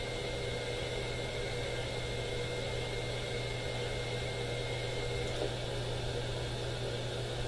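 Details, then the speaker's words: AM radio in the owner's house picking up RF noise below the AM band: constant hiss with steady buzzing tones swamping reception; owner suspects the smart power meter. Radio frequency interference noise. "I believe this particular signal is responsible for many of the effects that I get in my shop when I'm tuning and adjusting AM radios. It's just below the AM band."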